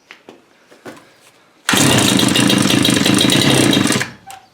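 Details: Bush cutter weed eater two-stroke, first start after repair, primer pumped and choke on; catches and buzzes at a rough busy rate about two seconds before dropping away.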